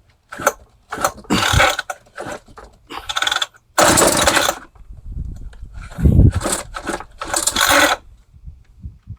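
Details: Roadside Craftsman hedge trimmer with a 21cc 2-stroke engine and old, never-changed fuel lines. It is primed by tipping it on its side, with the choke open, and revs in short bursts with the blades clattering, dying between catches; fuel starvation from broken fuel lines.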